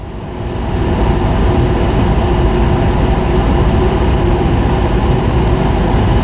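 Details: 2017 Jeep Cherokee 2.4 L at hot idle: a steady low rumble with an occasional uneven, loping stumble; intermittent misfire, and cylinder 4 is suspected.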